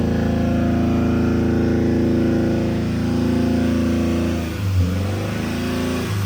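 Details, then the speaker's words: Honda engine running on chocolate milk instead of oil, previously on 3 cylinders, held about 3,000 rpm: harsh clattery rough note sagging and surging, not smoking yet; bearings suspected tightening, not confirmed. "It's stupid, this thing's not even smoking yet. Sounds like death."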